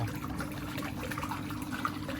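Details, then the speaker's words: Water trickles and splashes over a steady pump hum as water escapes from a cracked top fitting on a fountain UV clarifier unit; the fragile part is to be replaced directly. "Yeah, it's got a nice crack on the top there. Yeah. Right. Yeah, for some reason those parts are quite fucking fragile, eh?"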